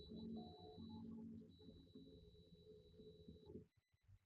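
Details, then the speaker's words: Triumph motorcycle, ignition switched on during a no-start check: steady high-pitched electric whir for about three and a half seconds that cuts off cleanly, the fuel pump priming normally: normal fuel pump prime. "can hear the fuel pump prime. This is a fantastic way to tell if everything's okay."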